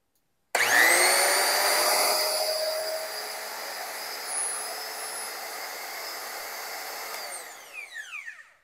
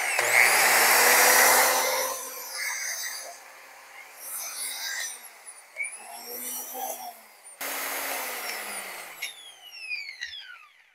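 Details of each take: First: Used DeWalt die grinder after a cord repair, new bearings and a polished shaft, run on test: spins up fast to a steady high whine with no grinding or rattle, then winds down smoothly; normal run, bearings sound healthy. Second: Well-used DeWalt die grinder after cord repair; spins up with a rough, rattly high whine that sags and winds down, from a worn top bearing.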